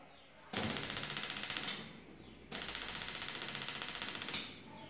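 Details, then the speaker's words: 6-year-old gas stove, burners previously slow to light; after washing and lightly sanding the parts, two bursts of rapid, even igniter spark ticks, then quiet, with all burners catching quickly: normal igniter clicking. "e tá todas acesas todas é uma qualidade boa não demorou para pegar"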